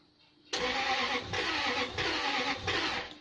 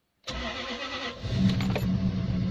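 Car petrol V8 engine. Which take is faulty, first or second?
first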